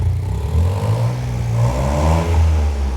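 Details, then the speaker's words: Vauxhall Corsa with replacement engine, first run: revs up and drops cleanly with a raspy puffing blow underneath; exhaust leak at the flexi section, which needs welding in. "Obviously it's blowing because the flexi we need to get welded in off Labour and Fab's next door."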